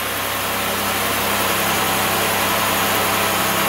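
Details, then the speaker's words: 2007 Chevrolet Impala 3.5L after dead battery charged, previously long crank, misfiring, codes P0118, P0335, P0326: steady even idle with smooth unbroken hum and no misses. "so it sound sounds pretty dang smooth there are a couple more little rev UPS"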